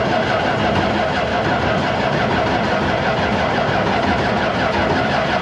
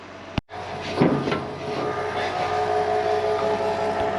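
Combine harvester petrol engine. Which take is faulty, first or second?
first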